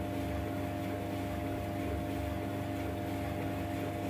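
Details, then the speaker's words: 15-year-old White Knight 37AW tumble dryer after repair of a grinding noise with worn parts replaced, running over half an hour: smooth, constant motor drone with an even rumble, no squeal, knock or grinding; normal drum rotation. "um so it's running it's been on now for over half an hour and sounds a lot better than it used to"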